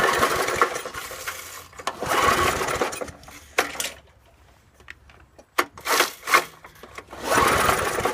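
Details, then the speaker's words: 1986 Snapper walk-behind mower, free curbside find with spark plug removed by previous owner: repeated pull-cord attempts whir briefly and die, never catching; cranks but will not start. Carb needs a new diaphragm; spark check next. "hmm better check for spark here I was hoping we could get lucky maybe"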